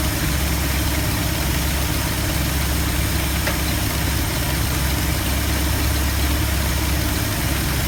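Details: 1972 Ford F250 with 360 V8, after a Pertronix Flame Thrower II distributor install with new coil, cables and plugs and the distributor repositioned: deep, even burble holding a steady idle with no hunting or misfire beats; normal, settled idle.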